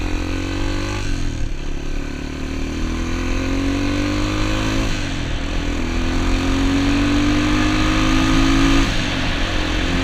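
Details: Honda XR200 single on its first test ride after a full transmission rebuild and other new parts: steady thump rises and falls smoothly through gear changes, no knocks or rattles; running healthy, rider says everything felt smooth.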